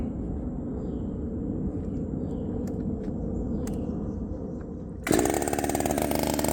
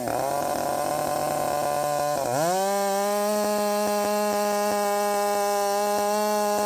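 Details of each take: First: Redmax 5000 chainsaw, 16-in bar, sharpened steel RS chain, 8-pin sprocket, muffler before mod, cold: low uneven idle, then jump to loud high revving buzz; cuts fast but pulls rpm worse than with 7-pin; owner hopes muffler mod fixes idle. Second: Redmax 5000 chainsaw with wide-open exhaust port muffler mod, 16-inch bar, sharpened steel RS chain, 8-pin sprocket, full throttle in cut after self-tune: dips briefly, then climbs and holds a high steady clean scream; pulling hard, feels much faster.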